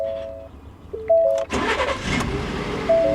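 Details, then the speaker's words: Ford at about 184 (thousand) miles, cold start: a few dash chimes, brief crank, catches immediately and settles into an even run with no timing chain noise; normal cold start. "fired right up one of the big things to listen for when you first start a Ford is timing chain noise and I didn't hear any at all"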